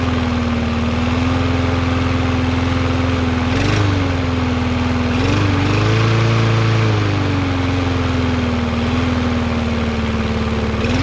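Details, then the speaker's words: Yard Machines MTD 21" mower, Briggs 550EX, after bending the governor bar to raise rpm: steady, even drone with small momentary dips as the governor catches, about the right rpm. Normal running speed. "i know i was bending it the wrong way that's about the right amount of rpms"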